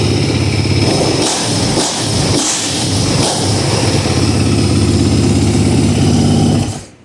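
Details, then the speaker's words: Rebuilt 2009 Kawasaki KX450F with new crankshaft, first start after rebuild: crisp, eager revs rising and falling sharply with each blip, then clean shutdown; no leaks, no smoke, sensitive throttle, sounds healthy. "she's a mean fire-breathing machine. Sounds good. No leaks, no smoke. Throttle's really sensitive. Sounds great."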